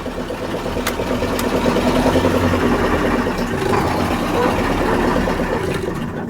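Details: KAMAZ 65225 Euro 2 diesel after engine rebuild to fix a knock: revs up and settles with smooth low drone, no thin metallic knock through rise and fall; knock eliminated, running normally.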